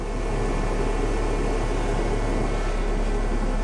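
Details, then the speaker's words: 2005 Dodge Neon after engine mount and spark plug work (plugs were oil-soaked), now idling with a steady, even hum, no stumbles and no misfire light flashing; excess gas and oil remain in two cylinders. Normal idle. "But I say she's not misfiring. That I can tell."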